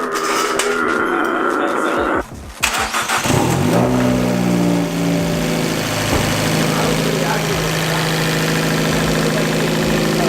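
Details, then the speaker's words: Fiat 500 Abarth just after fitting a Forge blow-off valve, PCV and intake refitted: the starter cranks, the engine catches and settles to a steady idle with a clean rising note; the car runs perfectly fine and sounds different. "so we put it on car runs perfectly fine the sounds pretty different"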